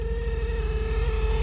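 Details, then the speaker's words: 1999 truck with AC on: steady mid-pitched whir over a strained, uneven pulsing drone; bad blower motor, still blowing, then freed itself up. "Bad blower motor. Still blowing though, right?"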